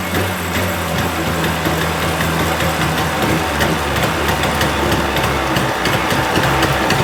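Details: 1980 Chrysler 45 hp two-stroke outboard at fast idle after the crank-no-start complaint: a steady, even burble with no knocks or misses; responsive, nothing found wrong.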